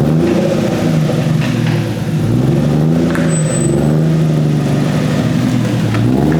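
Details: Budget turbo Lexus, freshly finished build running 0.5 bar boost with no air filter yet, on a test drive: steady engine note rising and settling smoothly with revs, no knocks or misfires; healthy normal running.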